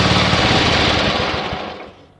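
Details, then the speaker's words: Yardman (MTD) ride-on mower after removing redundant wiring from the long-removed seat safety switch: engine runs with a steady rapid beat, then is shut off and winds down; runs normally. Kill switch fault traced to a tab that had come off. "Okay, she works. Yay! Well, I found the issue with the kill switch."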